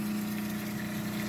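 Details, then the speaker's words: Small inexpensive Seaflow diaphragm pump on battery and solar, drawing spring water through PEX suction tube: steady even mid-low hum with no knocks or surging; running normally at full output. "there's the pump running see the pump you can see it a little see it running see the water coming up through the intake"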